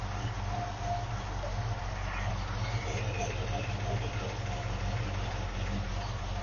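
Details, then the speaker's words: 1971 Mercury Comet GT V8 idling in park after mechanical fuel pump replacement and power steering pump reinstall, A/C not connected. A low, steady rumble at an even idle with no misses, knocks or squeals: normal idle. "I think I can uh start it up here don't need to fast idle on so here we go make sure it's in park feels like it"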